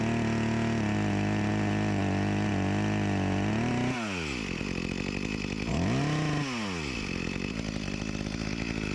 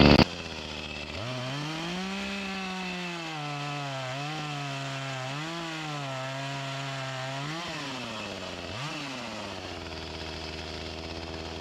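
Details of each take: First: Echo CS-352 chainsaw after a new carburetor and gasket fixed its start-and-die fault: idles evenly, then revs up and drops under load biting into a log, pulling cleanly with only a slight bog the owner blames on a chain needing sharpening. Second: Echo CS-352 chainsaw that starts then dies, before repair, cutting at the woodpile: it revs up, then the pitch sags and labours through each cut; bogging from fuel starvation even with the mixture screws at max under limiter caps, fuel line or carburetor suspected.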